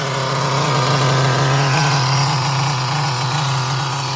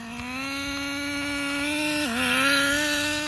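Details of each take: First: Traxxas Nitro 4Tec with rebuilt 3.3 nitro engine, bench test after a 15-20-pull start: high buzzing note runs steadily with speed easing slightly and smooth, even firing. It sounds ready for bench testing. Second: Traxxas 4Tec nitro RC car with a rebuilt 3.3 engine on a test run at wide open throttle: high screaming note climbs, dips sharply, then climbs again, possibly a transmission shift; a clink was heard earlier.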